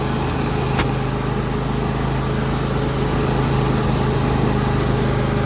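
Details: John Deere L118 lawn tractor, Briggs & Stratton Intek V22 V-twin, after blow-by repair: steady even low drone, no knocking, misfire or smoke; normal running.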